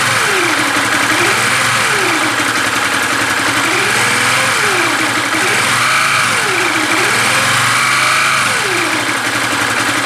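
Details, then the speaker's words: 2013 Yamaha New Vixion single-cylinder after rebuild with new block, piston and parts (original oblique-sounding noise traced to piston and block, not crankshaft); radiator filled, engine test: revs rise and fall smoothly, no knock or rattle, normal idle and revving. "lelei ma lamolemole le afi, bro, siaki le leo lea ua lelei"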